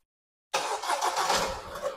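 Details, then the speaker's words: 2022 KIA Sportage X-Line started via remote start while locked: after silence, brief crank and immediate catch, settling into steady running; normal engine start. "anh em nghe nó nổ máy rồi ha Thì bây giờ mình đi lên xe Thử xem như thế nào ha"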